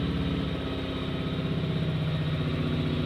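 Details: Adventure Kings 2KVA pure sine wave inverter generator just started with no loads plugged in: smooth even low hum with a steady pulse near four per second, no misses or knocks; healthy no-load running.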